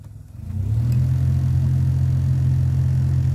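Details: Heater blower motor of a Toyota Corolla AE100 spins up into a loud steady low hum with the ignition on, from dirt and foam debris fouling the motor and fan; the motor is removed and cleaned.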